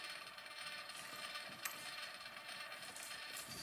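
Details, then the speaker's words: Freshly reassembled Edison Gem phonograph playing a cylinder with its top plate off: a soft, even whir with only faint irregular ticking from the gears underneath. It runs unusually quietly and smoothly. "And you can hear how quiet it is. This is extremely quiet for one of these because you get a lot of gear noise out of all this and everything underneath."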